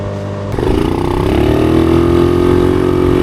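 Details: Honda Navi mini bike just fitted with a Polini short 30 mm pod air filter upgrade: the engine catches and revs up smoothly to an even, steady drone with no knocks or misses. Sounds healthy.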